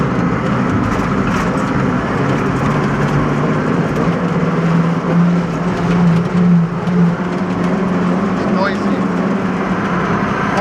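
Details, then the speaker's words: Roughly 40-year-old John Deere 862 scraper driving in fifth gear: steady low hum over a rough diesel drone; operator dislikes the gearbox noise in fifth, source undetermined. "Fifth gear is all five or all four. I don't like the noise it's making in fifth gear."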